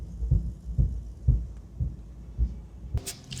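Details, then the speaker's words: 1961 Buick LeSabre with Nailhead engine, driving slowly: a deep rhythmic thump about twice a second from a worn driveshaft center support bearing, and the whole driveshaft must come out; driveshaft center support bearing thump. "can hear the thump. I don't know if you guys can hear the thump, but I can hear the thump of the uh center support bearing. It's definitely not a good thump."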